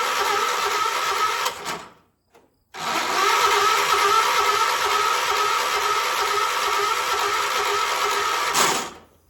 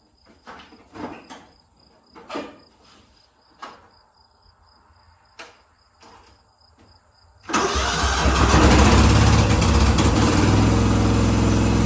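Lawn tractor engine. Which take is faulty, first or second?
first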